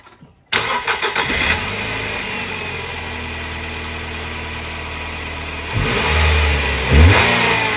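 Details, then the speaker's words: Nissan Qashqai after the accessory belt was removed and refitted: it fires, idles steadily and revs smoothly with no squeal or chirp at any speed; the tensioner's slight play was suspected, but the noise is now gone. "all I've done is taken the belt off and put it back on now it doesn't do it at all"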